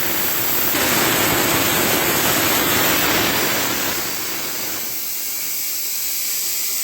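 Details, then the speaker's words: CompAir mobile diesel compressor after bleeding fuel to the injectors: starts okay, then a loud rushing hiss like steam venting, easing slightly, as the coolant boils over; a radiator problem. "we seem to have a radiator problem too"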